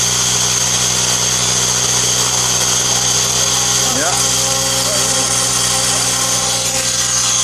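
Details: Align T-Rex 700E F3C electric RC helicopter spooling up with a high motor whine with a rough, rattly edge heard at startup; worn motor pinion gear mount bearing, possibly rubbing the canopy.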